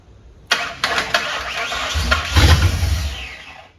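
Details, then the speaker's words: 1959 Ford wagon with standalone Lincoln Town Car EEC wiring, start attempt: one long steady crank of about three seconds with no firing; injectors fire but the fuel pump gets no signal; crank no start. "It's firing injectors. We're just not giving the signal to the fuel pump."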